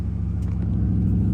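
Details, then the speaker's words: Freshly rebuilt V8 with a stage 3 cam on an unoptimized stage 2 cam tune, driving home at about 1500 rpm under light load: deep, even rumble with no knocks or ticks and strong oil pressure; running normally. "Awesome! This thing is running awesome. It's running really well."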